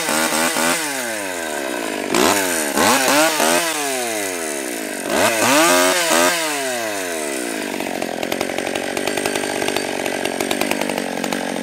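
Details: Stihl 020 AV chainsaw, first cuts after a carb rebuild, new gasket, clutch, chain and nose-bearing bar: crisp revs climbing and dropping as the chain bites and clears the wood, then steady high idle; runs right, idle turned up once warm.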